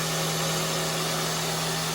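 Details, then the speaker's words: First-generation pre-facelift Kia Cee'd after timing chain jumped and bent valves, catalyst removed, repaired and started: quiet, smooth even idle, steady hum and hiss, no knocks or extraneous noises; normal idle. "все хорошо работает тихо никаких посторонних шумов стуков ничего нету мотор работает ровно"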